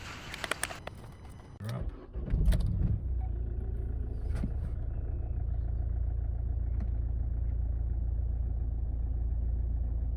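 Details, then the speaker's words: 2011 Vauxhall Astra J 1.7 CDTI diesel idling after replacing a cheap suction control valve with a quality part, ECU not reset; it starts and idles steadily with no hunting or surging, throttle response much smoother. "Difference is night and day. Much smoother throttle response. No more hunting at idle."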